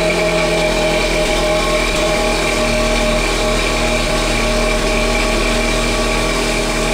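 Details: VW Golf 6 1.4 TSI 122 HP, first cold start after the night: loud, even exhaust rumble with turbocharger whistle clearly heard for about 20-30 seconds of raised idle before quieting; normal cold-start catalytic converter heating.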